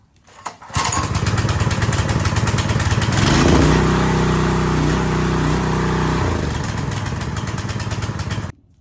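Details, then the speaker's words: New Husqvarna pressure washer small engine, first start on choke with no-ethanol fuel, garden hose connected: catches at once after a brief pull, then runs fast and even on choke for several seconds; clean healthy start. "well were you guys surprised how easy it started"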